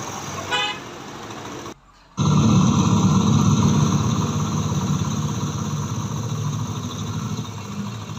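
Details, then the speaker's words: Small motorcycle after its loose magnet was tightened: it runs with a steady, low, even beat and the sound is gone, though a misfire remains; a horn toots early on. "बिल्कुल ठीक है, अभी इसकी missing तो चले हैं, बहरहाल ये आवाज़ इसकी ख़त्म हो चुकी है।"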